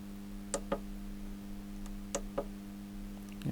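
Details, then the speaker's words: Zanussi ZAN-3K-2G grid-tie solar inverter (rebadged Solis 2G, 3000 W output): steady hum with repeated relay clicks, some in pairs, showing zero watts output and looping on an OV BUS relay error; burnt relay solder joints on the failed output relays. "it's a relay clicked again and an alarm OV bus that's a relay error OV bus on this machine so it's going to keep going in a loop"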